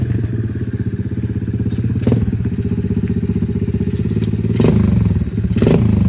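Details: 110cc four-wheeler (ATV) after repair with new carburetor, new spark plug, wheel alignment, and loose wires and stator tested, being ridden: a quick, even single-cylinder putter at about four beats a second with riding bumps; runs cleanly.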